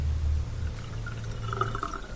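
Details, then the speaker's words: Dishwasher after removing a piece of glass jammed beside the drain pump impeller that stopped draining, set to drain: low steady pump hum with water rushing and gurgling out; draining normally. "draining properly now with the sink. So that's all it was, just a piece of glass stuck in there."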